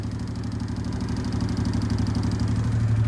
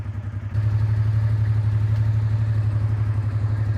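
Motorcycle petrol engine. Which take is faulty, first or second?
first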